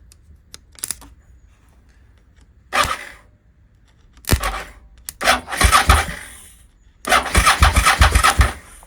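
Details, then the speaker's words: Suzuki SV650S with dead ignition button cranked directly: several brisk steady cranking bursts with quiet gaps; starter motor good, fault is electrical, owner suspects alarm or immobilizer. "Okay so our starter motor is good that's good news starter motor is good um so it's an electrical issue"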